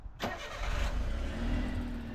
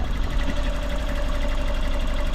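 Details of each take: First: Autozam AZ-1 first start after the clogged exhaust was cleared and the spark plugs were checked and refitted: quick crank, catches at once, smooth even low idle with no miss; healthy start. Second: Autozam AZ-1 at idle after clearing a clogged exhaust, pulling plug wires one at a time to find the weak cylinder. One cylinder does nothing, giving a lumpy idle with a missing beat; the distributor cap and wires were later found bad.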